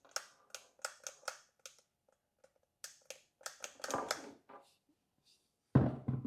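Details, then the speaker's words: New 7-inch/6-inch variable speed car polisher, head turned slowly by hand unplugged; irregular gritty clicks and crunches instead of smooth turning, crunchy gear noise, later fixed. "don't sound the best sounds awful crunchy don't it"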